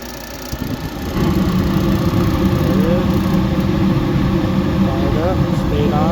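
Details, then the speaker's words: Gas furnace with high-pressure switch jumpered after it tripped open and shut the flame off; with the switch bypassed it lights and runs with steady hum and even burner roar; faulty high-pressure switch suspected. "I bypassed it to fire it up to make sure that when I return that's the only issue"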